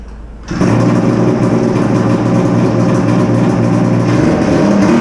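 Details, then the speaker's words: Polaris Ultra two-stroke triple during rebuild (center piston melted, ring came off; outer cylinders have good compression): busy, slightly uneven burble that doesn't clean up; rich, boggy running with aftermarket VeriFlow system disconnected. "Sometimes you might hear it sounds a little boggy until it revs up. And that's because I got the VeriFlow system unhooked, disconnected. It's an aftermarket system that's on it. So it's just running really rich right now, that's all."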